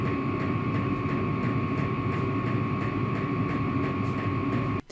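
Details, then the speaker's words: Vevor diesel heater running, loud at start then settling to a steady white-noise whoosh with a mid tone and occasional ticks before cutting off; normal running with ticking. "It does emit some sound. It can start out quite loud, but then it settles down to more of a white noise. We could easily talk to each other quite close to the heater without having to raise our voices. It does have a ticking noise at times, which may be annoying for some."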